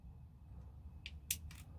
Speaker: So to do that, we're just going to turn our gear and you can hear it clicking. That means it's catching the bevel gear,